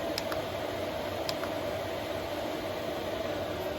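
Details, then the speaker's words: 5 kW Chinese diesel heater newly installed in a 2023 Ram ProMaster van, running after the fuel line was bled of air: steady fan rush and burner roar with no surging, popping or misfire. It runs normally with strong heat output. "wow that's really warm you can put down an amazing amount of heat we're gonna turn it down just a little"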